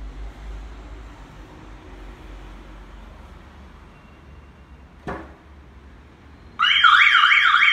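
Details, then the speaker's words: Smart Fortwo with a Pandora Light Pro alarm, car locked and armed: quiet at first, then a loud warbling siren starts when a door is opened after a delay of roughly 30–40 seconds. The alarm triggers correctly. "Θέλει 40 δευτερόλεπτα. Ναι, μισό λεπτό. Μόλις περάσει το μισό λεπτό, τότε θα χτυπήσει."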